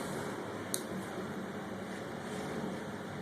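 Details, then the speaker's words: Direct-drive air handler blower motor spun by hand: steady, rough roar from a worn front bearing, so the motor needs replacing. "I don't know if you guys can hear that roaring sound in the bearing that means this motor needs to be changed so"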